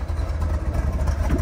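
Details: 1970 Chevrolet Corvette L46 350ci V8, four-speed manual, idling: deep soft even burble, no misses or ticks; exhaust very quiet, reviewer would fit freer-flowing mufflers; healthy idle.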